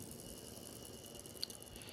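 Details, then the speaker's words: MBK 51 moped engine, Malossi crankcase with Ersal T6 crankshaft, turned by hand while disassembled: quiet gritty metallic crunching from the worn variator-side main bearing, judged dead and needing replacement. "ça fait vraiment un bruit de ferraille dégueulasse. Donc lui il est mort."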